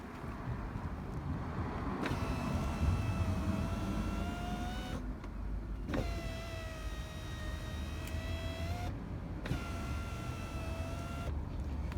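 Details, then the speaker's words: Mini Cooper R56 power window after fix: smooth even motor hum, silent, no squeak; squeak had come from regulator cable rubbing black frame, fixed by lubricating cable contact and four wheels. "and it's completely silent and normal"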